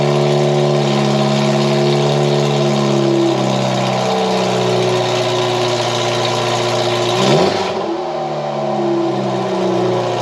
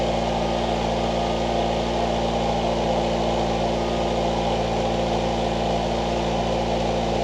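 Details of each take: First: 1989 Ford Mustang Foxbody four-cylinder after its fuel injectors were rebuilt: a loud raspy drone at fast idle with one quick blip and settle; idle is too high and the terrible original exhaust is nearly unmuffled. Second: 1989 Ford Mustang Fox 4-cylinder, after injector cleaning/rebuild and a new home-welded, leak-free exhaust, before idle adjustment (was idling extremely high): steady, smooth idle rumble, no puffing or ticking from pipework; normal idle.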